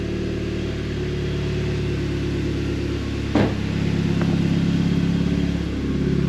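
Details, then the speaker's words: Audi TT Mk2 8J TFSI, original turbo actuator, 120,000, with Scorpion downpipe fitted, checked for exhaust leaks: steady even idle, deep smooth exhaust note, no ticking or puffing; possibly a little quieter, normal idle. "it don't sound as loud it sounds better right we're started so that's something it does sound a lot different"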